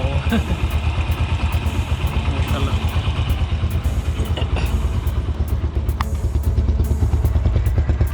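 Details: Yamaha YBR125 (5VL engine): steady, even single-cylinder idle with no top-end ticking or chain rattle; the cam chain runs quietly and healthy.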